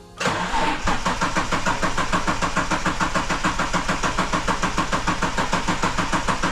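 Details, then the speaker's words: EL Ford Falcon XR6 Turbo that had died on the road, started after the fuel pump primed: short crank, then it catches cleanly and settles into a steady, even idle with no misses or knocks. "Crank and start, but it works. The car runs again."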